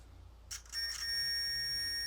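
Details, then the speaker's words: 1968 BSA Bantam timing set at 16° BTDC, cam plate being adjusted with a buzzer tool: a steady high buzzer tone means the points are still closed; it should stop when they open. "we want it to just stop making that noise that's it that's it off so i just want to slowly adjust it"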